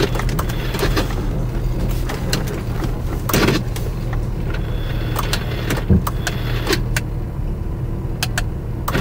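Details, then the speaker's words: C4 Corvette, about 25 years old, idling with a faulty door ajar switch: irregular sharp clicks and clunks over a low idle hum as the door lock actuators cycle constantly. "ist everything should make noise but if you can hear it the door locks are trying to cycle constantly"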